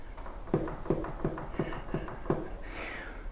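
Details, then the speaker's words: Harrison HS223 mill vertical head: light, sharp clicks about three per second over a quiet hum from play in the key of the gear on the back of the cross shaft; planned fix is making a new quarter-inch key. "that's the player in the key on the gear on the back of this cross shaft here so I think I'm going to make a new key for that"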